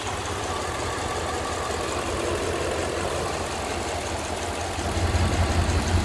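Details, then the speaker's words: 2002 Dodge 1500B van idling after AMSOIL Power Foam engine cleaning, motor oil flush and PI fuel system cleaner: steady, even idle with a deep, smooth hum and no knock or miss; normal idle. "truly amazing results definitely amazing stuff"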